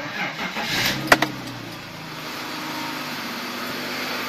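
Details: 2002 BMW 525i after replacing faulty ignition coils on cylinders 2 and 4 (misfire codes): cranks briefly, catches cleanly and settles into steady, even idle with no stumble or miss; misfire fixed.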